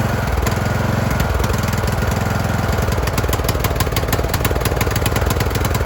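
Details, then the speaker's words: Craftsman YT3000 riding mower with a bad engine: the engine surges, its firing rhythm speeding up and slowing instead of holding steady, while the choke is worked by hand to smooth it out; a replacement engine and carb are planned. "You guys can hear it. It is surging. I was just kind of manually playing with the choke on there to get it to smooth out a little bit."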